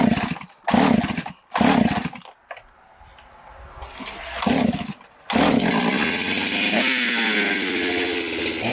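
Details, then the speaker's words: 372 chainsaw with carburetor jets fully open: short blips then climbs to a high steady scream and hangs; owner suspects an air leak at base gasket or crank seals, spraying brake cleaner to locate it. "you could hear it starting to rev way up the jets on this carburetor are cranked all the way open just so that it won't rev it and you know potentially damage something"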